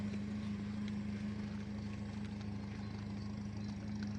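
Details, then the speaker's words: 2003 Toyota Kijang LGX 1.8 EFI, petrol, manual: a steady, even low idle hum with a smooth rhythm and no knocks or ticks, and the engine mounts are still smooth with no vibration. Normal idle. "Engine mounting juga masih halus, tidak ada getarannya."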